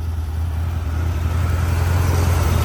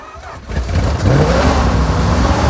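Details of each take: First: Plymouth TrailDuster (1974–80 era) 360 Mopar V8, first start in 21 years after sitting; exhaust broken off so idle is loud and open, steady even rumble with no misses or knocks; carburetor was suspected gummed up; normal idle. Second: Plymouth TrailDuster with a 360 Mopar V8, first start after 21 years sitting, carburetor suspected gummed: it fires after a short crank and holds a loud, blatty, uneven low rumble at idle. The exhaust has broken off, causing an exhaust leak.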